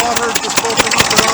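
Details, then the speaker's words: 1959 Fordson Dexta diesel tractor running with an injector leak: sharp, fast puffing ticks about five a second over the diesel clatter, keeping time with the engine, coming from a leaking exhaust manifold; the water pump is audible at the front. "on the exhaust manifold that's where that sounds been coming from as well as that you can probably hear the water pump running at the front"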